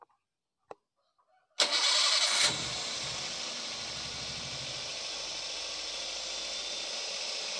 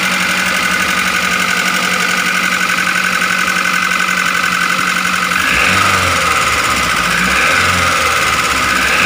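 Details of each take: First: Daihatsu Gran Max after adjusting valve clearances that were too tight and too loose: starter cranks briefly, engine catches and settles into smooth even idle, earlier rough tapping gone; back to normal. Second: Daihatsu Gran Max 1.3 with abnormally rough engine noise: rough idle with fast uneven metallic ticking clatter about four a second; teardown planned to check piston, bearings or valves.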